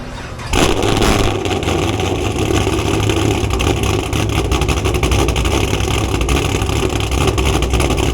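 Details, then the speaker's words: Cammed Camaro V8 starting and settling into a deep, loping idle with no misfire or knock, after coil packs were moved back to their original places and the O2 sensors were cleaned. "When I bring the camera out, everything seems like it's fine. It's not misfiring, it's not knocking."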